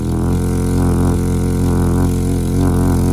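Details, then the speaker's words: 2011 Chevy Equinox 2.4 four-cylinder, idling: loud raspy idle with hard puffing from a blown-out resonator; exhaust leak venting under the rear seats, resonator to be replaced. "In my situation, I had this one bad on my other one, the resonator right here, and you can see where it's blown out right here."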